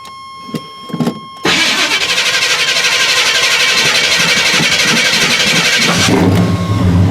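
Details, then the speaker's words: Truck with a replacement starter, battery weak and not cranked for about two weeks: long crank with high-pitched starter whine for about four seconds before firing; better than the earlier knocking against the flywheel, owner suspects heat will worsen it and plans new starter, flywheel and brace. "hear how that thing kind of got a real why of high pitch to it and that's actually pretty good compared to what it was doing it was a knocking and banging"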